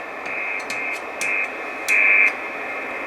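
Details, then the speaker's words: 12 V 30 A power supply with S-400 PCB in metal case, heard on an IC706 HF receiver: steady hiss with buzzy tone near 2.5 kHz swelling in bursts at 2.9 MHz, noise lessening on higher bands; RF interference from the supply's digital display. "as i go up the hf bands the further higher i go less noise i get so this one here on 2.9 is coming from the display"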